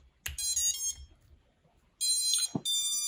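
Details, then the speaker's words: FPV drone ESC running BLHeli_32 or Bluejay firmware powering up: two short bursts of high musical beeps from the motors with a pause between; the normal, customizable startup tone, nothing wrong. "So இந்த ஃப்ரிம்வேர் வந்து blue ஜேக்கு இல்லைனா பிஹெல் 32 அப்படிங்கிறது வந்து எதுக்காக use பண்ணுறாங்க அப்படின்னா உங்களுக்கு வந்து ஸ்டார்ட் பண்ணுறப்போ உங்களுக்கு வந்து ஒரு சவுண்ட் வரும்."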